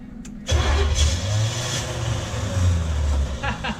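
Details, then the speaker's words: Junkyard Oldsmobile 350 V8 that had sat for years, on an engine stand for a 1969 Cutlass. The starter churns the engine over with a heavy low chug and it never fires, while the hot light comes on. Crank, no start. "h it yeah it's like cranking it's pulling up the hot like the hot light it's turning that on"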